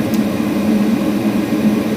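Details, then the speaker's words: Gas furnace draft inducer motor after replacing the old motor with its bad howling bearing; smooth steady hum with burner roar, no rattle or bearing growl; much quieter than before, gas burner now louder than the inducer, running normally. "much quieter the gas itself is louder than the um"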